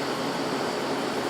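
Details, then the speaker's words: Window AC unit, formerly R-22, recharged with R-152a, coil getting cold: a smooth steady compressor hum under the fan's rush with no knocking, rattling or clicking. The compressor is running normally. "so definitely working [Music] so and as you can hear i mean the compressor sounds just fine"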